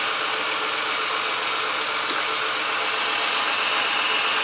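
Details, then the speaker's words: Ford BA Falcon after refitting the power steering pump and reservoir and replacing the high-pressure line; steady airy hiss and whir over idle. The pump shudders at full lock while pulling air through the system. "Oh, and I can feel it shuddering. And that's air being pulled through the pump."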